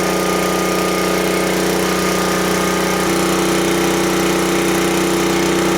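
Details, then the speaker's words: Small single-cylinder generator engine at high governed speed, set to about 3650–3700 rpm (target 3600) to allow for heavier load. Steady, even drone with constant pitch and no misses or surging; normal. "Then when I let off the throttle, it should be close to 3600. But I checked it yesterday, and I think it's like a 3650 or 3700."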